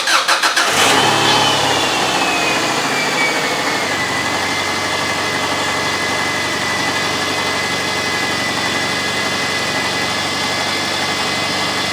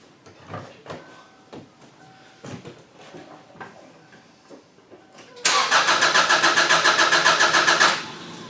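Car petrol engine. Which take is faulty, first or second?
second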